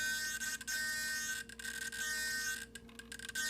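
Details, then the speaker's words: Solar D770 low-profile digital metal-gear servo steering an RC10T; clicks without load, then steady high-pitched electric buzz with faint flutter as load is put on the tires; normal servo holding buzz under load. "now if I put some load on the tires you can hear it start buzzing trying to"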